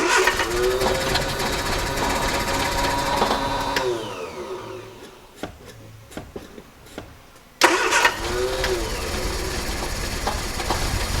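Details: 1968 Triumph Herald 13/60 off the road for a while, first start attempt after new distributor cap, a little throttle: catches and revs, sags almost to a stall, then revs cleanly; starts and runs.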